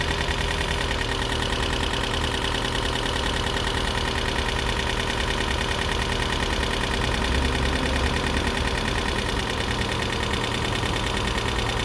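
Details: 2012 Toyota Prius V engine at idle after head gasket rebuild and computer panel replacement: loose, irregular knock, a couple per second, over low rumble; lifters suspected still adjusting, expected to clear up, not confirmed.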